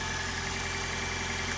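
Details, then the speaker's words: Toyota Corolla, 481,000 miles, idling after sitting 3 weeks; even idle with light mechanical clatter and faint high hum, aged-engine noise, a little oil on spark plugs but no leaks; no knock, normal idle. "engine sounds the same now it doesn't sound like a brand new engine but Toyota engines as they uh age they get noisy"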